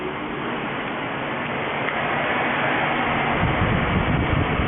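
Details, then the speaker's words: 2003 Mini Cooper with two-speed electric radiator fan, alleged overheating, engine off, fan run by Autel scan-tool active test stage 1: steady airy whoosh building slightly, then shuts off; normal low-speed fan operation. "So click active test and fan stage 1 and activate."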